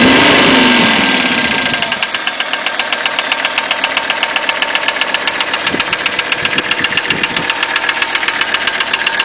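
Diesel idling with a sharp, very regular knock near four per second riding over the clatter; sounds like piston slap, cause unconfirmed.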